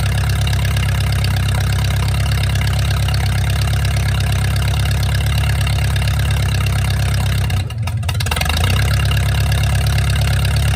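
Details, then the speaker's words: Mercruiser 470 3.7L marine engine, first run in 16 years after fuel reached the carburetor; deep steady low rumble, even idle with one brief dip, no knocks or rattles. Automatic choke not working properly, owner suspects his wiring. Normal idle. "there you go it's alive finally I got the got it running so I'm really happy about that"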